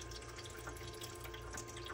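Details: Frigidaire EFIC117-SS ice maker during repair attempt: steady low pump hum with water trickling and splashing into the tray; water pump now circulating normally.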